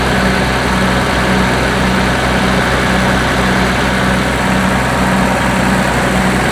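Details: Combine 525 engine just after water pump replacement and coolant refill, warming up to open the thermostat and purge air, no huge leaks seen: loud, even low rumble with steady beat, no knocks, squeals or hunting; healthy idle.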